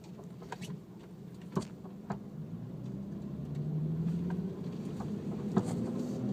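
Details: Infiniti G37X sedan with BC Racing coilovers, noise since install; road rumble with scattered sharp clunks about every second over bumps, suspension knock suspected, not confirmed.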